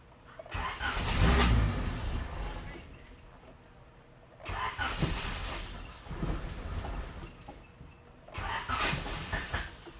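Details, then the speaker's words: B17-swapped EF hatch: three short cranking bursts that don't fire even on starting fluid. The engine turns over fine but gets no fuel, though the pump ran earlier and fuel came from the fuel filter. "Okay, we don't have gas, so that's got to be what the problem is."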